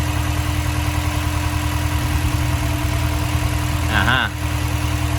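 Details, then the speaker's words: Honda S2000 misfiring; lumpy, uneven idle beat with a steady whine above it, and the sound does not change when the fourth coil pack is unplugged while the other three do change, so that ignition coil is dead. "coil pack is bad i need a new pull clap see it's still the same so it wasn't working"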